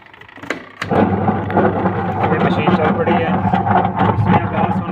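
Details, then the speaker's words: Washing machine before gearbox replacement, running very slowly without power: after a thud, a coarse continuous rumbling grind under the motor hum; turning the agitator by hand also makes noise; worn agitator gearbox. "یہ دیکھا دوستوں اپ نے یہ اواز بھی کر رہی ہے اور زور بھی نہیں لگا رہی اگر اس کے اوپر ایجیٹیٹر کو گھمائیں اس پھول کو تو یہ بھی اواز دیتا ہے"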